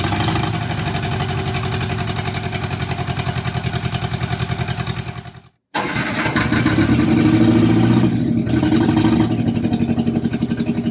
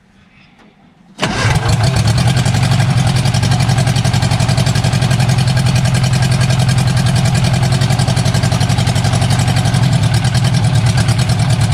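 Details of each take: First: Barn-find bug-eye Sprite, stored 30-40 years, first run with only exhaust manifold fitted: loud fast unsilenced pulses, abrupt cut-out because vibration shook the temporary battery-to-ignition lead off, then restarts and runs. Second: Barn-find bug-eye Sprite stored 30-40 years, after starter rebuild, idling on its own with only exhaust manifold, no exhaust: instant catch, loud raw rapid even popping idle; sounds not too bad.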